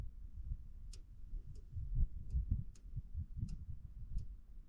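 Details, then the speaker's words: 1993 Ford Mustang 5.0 SSP police car that has sat since 2010, pump heard faintly from the tank: sharp ticks with no pump hum, so the fuel pump clicks but never spins up. It likely needs a new pump. "I can hear the pump like ever so slightly"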